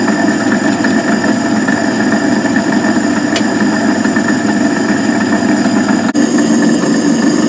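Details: Van Wert coal stoker on Gentleman Janitor JG5 boiler, running pea-size anthracite after six days: loud steady drone with fixed whining tones and rough beat about twice a second; noisy worn gearbox, cause not confirmed.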